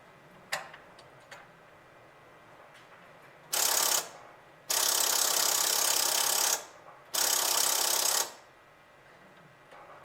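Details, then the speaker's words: 1938 Buick Special straight-eight, no-crank with a charged battery of about 6 volts and solenoid voltage being measured: the starter button gives only harsh rattling bursts; cause unconfirmed. "Well, our battery is charged, and yet when we hit the ignition button, all we get is a rattle."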